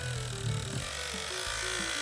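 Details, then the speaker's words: Andis AG animal clipper after a bent latch caused noise: even high-pitched buzz with no rattle or chatter. The motor runs smoothly and much quieter until the latch is released; the latch is to be replaced. "but it runs beautifully much quieter until you let go the latch"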